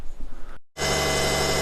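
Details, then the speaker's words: Subaru SVX after swap to 1998 Forester radiator, AC compressor removed: engine catches after a short gap and runs steady with no whine; earlier whine seemingly the AC compressor rather than the alternator. "so it sounds like our whining noise was the ac compressor because we don't have it anymore so that's good because i didn't want to buy an alternator"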